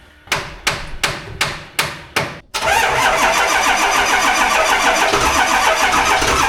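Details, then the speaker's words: Diesel dually truck cold start at 18°F: six slow, labored cranking strokes about a third of a second apart, then catches and runs rough; starter on its way out, about three glow plugs working, batteries flat. "Starter is on its way out. About three of the glow plugs work. And her batteries are shut."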